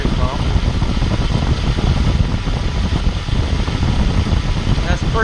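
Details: Accessory-drive whine diagnosis, mechanic's stethoscope on the power steering pump pulley bolt head with the engine running: a low, steady hum with no whine or grinding, and the pump sounds healthy.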